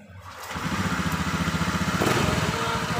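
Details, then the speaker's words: Honda Vario 110 FI scooter starts quickly and idles steadily, not stalling when wiggled, after reseating the CKP sensor connector to fix intermittent stumbling and stalling with MIL code 52. "berhasil hidup dan digoyang-goyang sudah tidak mati ya Jadi untuk penyakit pada motor ini sudah ketemu dan sudah selesai"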